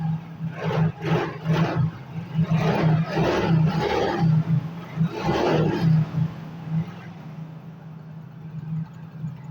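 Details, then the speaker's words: Yamaha Mio GT scooter that would not start, fuel pump pressure checked (should be 40 psi, about 20 measured): engine catches and holds steady idle, short throttle blips rise and settle cleanly; now running normally. "Oke, di sini motornya sudah bisa nyala atau bisa hidup ya."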